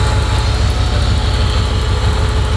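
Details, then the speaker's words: Project truck starting for the first time: deep, steady rumble with a regular low puffing pulse at each firing from an exhaust leak. "yes good they're opening the garage door that's good got an exhaust leak"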